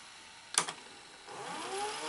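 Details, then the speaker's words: Sony SL-HFR70 Betamax deck after cleaning the solenoid and circuit board: sharp click, then a soft whir rising smoothly as the tape spools up; rewind working normally. "Yes, we have rewind."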